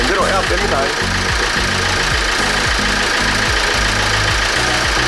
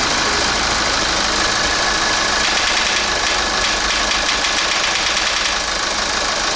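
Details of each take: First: Kia Grand Carnival R diesel engine after repair of a ticking noise, with cleaning and replacement of belt, water pump, glow plugs, sensors, injectors and damper: even, steady idle with a regular low thrum, no knocks or rattles; healthy. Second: Kia Grand Carnival R diesel engine at idle before repair: a rapid, intermittent clacking tick over the diesel clatter, traced to a heavily carbon-clogged intake manifold swirl valve; a stuck valve or stripped motor gear is also suspected.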